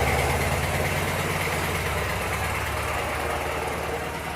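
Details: 1985 Suzuki Mighty Boy after 50 days sitting, freshly charged battery: steady low three-cylinder throb about three and a half beats a second, even and slowly settling; healthy idle after starting.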